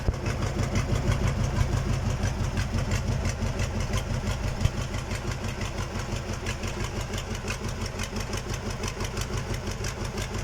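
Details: KamAZ diesel engine on its first start after a major overhaul: a steady, even idle with a regular beat of about three per second and no knocks or misses. Normal idle.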